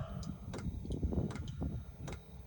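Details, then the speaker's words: Chinese diesel heater in a caravan after E-10 error, water drained from tank, new filter and Fuel Doctor added, restart with exhaust hot: soft regular pump ticks about every three-quarters second over low hum while excess diesel burns off; dosing normally. "So, you can hear the pump. And it's just cooking off the excess diesel."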